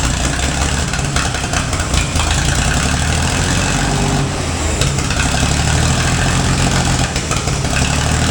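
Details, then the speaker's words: Gleaner A combine with Allis-Chalmers 230 cubic inch engine, running after years sitting and wiring repair: deep, steady idle with even low rumble, no misses or knocks; normal idle. "the OA 16925 um Alice chamers that is a 230 cubic inch engine runs really well for all it's been through setting for so many years"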